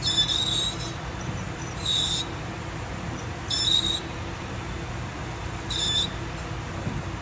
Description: If your brakes are making a loud squealing noise like this, there’s a good chance your brake pad wear sensor is touching the rotor.